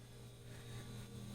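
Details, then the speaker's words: Fairly new refrigerator after replacing the burnt-out freezer fan motor: compressor kicks on with a steady, even low hum, no rattle or clicking; running smoothly and working again. Normal running. "so you can hear the compressor kicking off so we're good there and look there we now have ourselves a working fridge"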